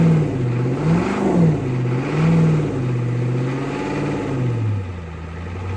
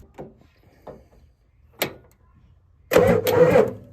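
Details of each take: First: 1988 Ford F350 7.3 IDI diesel, revived after sitting since the 1990s, with a new fuel filter and fresh diesel fed from a jug by pump, started after glow plugs: surges up and down, then settles into a steady idle clatter. Runs normally. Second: 1988 Ford F350 7.3 IDI diesel, sitting since the 1990s, battery at 12.5 V, starter jumped directly at the Ford starter solenoid: a few hesitant clicks, then a short loud burst of cranking; solenoid sticking a little, starter engages late.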